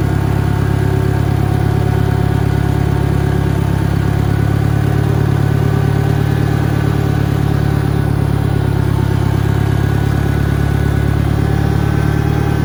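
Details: 1963 John Deere 1010 tractor, original and properly maintained, at 1,000 rpm on a backyard lap; deep, even engine drone with a mild gear hum; normal, healthy transmission gear noise.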